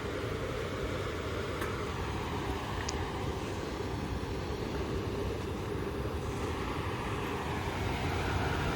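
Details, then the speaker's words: Repaired Trane variable-speed indoor blower after storm power surge; soft steady airflow, no rubbing, squeal or rattle, but running slower than expected, possibly on a 5-minute delay despite 11 flashes indicating 1100 CFM. "I believe that thing ought to be going faster than that."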